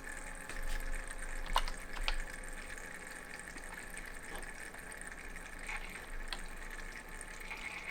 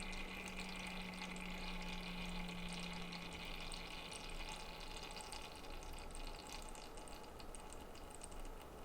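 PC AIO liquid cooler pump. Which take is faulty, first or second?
first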